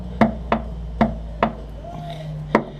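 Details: Datsun 1200 with sloppy steering, engine off: sharp single clunks every half second to a second as the wheel is rocked by hand; the idler arm bushing is worn.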